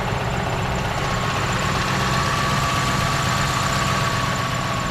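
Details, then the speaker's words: 1998 Ford Mustang GT, stock 4.6 V8 with manual clutch, idling after a cold start with a thin constant whir that disappears when the clutch is pressed. Owner suspects the throwout or pilot bearing, not sure which. "Again, that noise that you hear is the throwout bearing or the pilot bearing, one of the two, not sure yet. So you can hear it definitely goes away once you press on the clutch."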